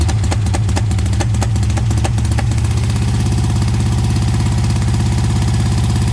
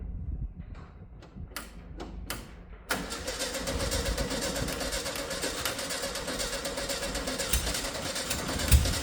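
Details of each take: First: 1971 VW Beetle air-cooled flat-four under restoration, earlier run: settles from uneven catching into a steady, even idle with clean regular beat; engine running healthy. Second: 1971 VW Beetle restoration project, long-stored, first start attempt: a few starter bursts, then it catches and runs roughly for several seconds without settling; nearly starts, fuel suspected not reaching the carburetor.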